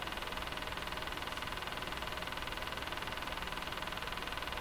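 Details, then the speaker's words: Crosley 43FB farm radio during shortwave alignment: steady, even ticking about four a second over hiss and hum while playing, then slowing; owner suspects something mechanical, cause not found. "Hey, where's the ticking going? It just slowed down."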